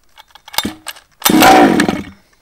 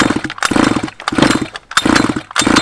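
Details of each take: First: Baja two-stroke engine after the spark plug was pulled to clear excess fuel and refitted; primed, choke down, a few pull-cord rattles, then it catches briefly with a raspy buzz and dies: first fire on choke. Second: Flooded Baja two-stroke with the spark plug removed: seven even pull-start cranking bursts, about one every 0.7 seconds, with no firing, blowing excess fuel out before the plug is refitted.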